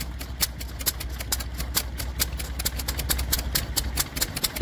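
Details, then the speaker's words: PB8 stationary engine just started at a rally: rapid sharp crackly exhaust beats over a low rumble, slightly uneven, its distinctive bark; normal running. "the distinctive sound of a PB8. Lovely."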